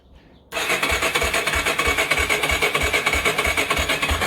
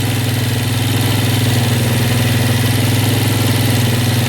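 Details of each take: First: Yamaha Warrior ATV being restored, first start attempt: starter spins the engine at a steady three beats a second with an even rasp and no catching. Fuel not yet on, run position, fresh oil, rebuilt carb. Healthy crank, air from exhaust. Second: Yamaha Warrior ATV single-cylinder, first start after restoration with a rebuilt carb, not yet warmed up. It holds a steady, fast, smooth idle with no dip; the idle is high because the choke was left on.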